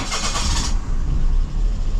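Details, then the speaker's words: Car being diagnosed for sputtering with an oscilloscope, engine already warmed up: brief hissy cranking, then late catch and low, uneven run; hard start, owner thinks because already warm, cause unconfirmed. "Ой, кое-как завелся что-то. Пойдем туда посмотрим. Не весело завелся, потому что я его прогрел уже, наверное."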